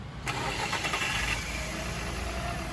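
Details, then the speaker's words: Fiat with hydraulic power steering after repair: the burst return-pressure valve in the reservoir let too much oil return and starved the pump; reservoir and fluid replaced. Engine idles steadily with no pump groan or whine. "Aquele ruído, ó, acabou, acabou, tá?"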